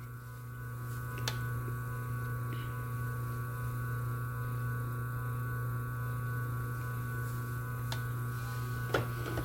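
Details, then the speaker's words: Single-phase motor back on its original rated 25 µF run capacitor: steady even low hum with no wavering or beating; runs smoothly and normally. "Então a gente vê que fica um funcionamento plano, ele não dá variação."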